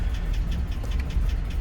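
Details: 2006 GMC Sierra 2500HD, crank sensor code set, barely running near stall: sharp even ticking five or six times a second over low steady idle rumble; engine knock, owner hopes replacing crank sensor improves running.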